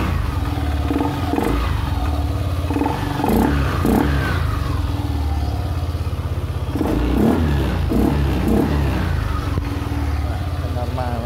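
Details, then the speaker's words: Yamaha Aerox 155 scooter that would not start without fault code, after repairing rat-chewed wiring: engine spins up cleanly in repeated blips and settles to even idle, no misfire or stumble; runs normally. "Kita nyalakan seperti inilah. Sudah normal."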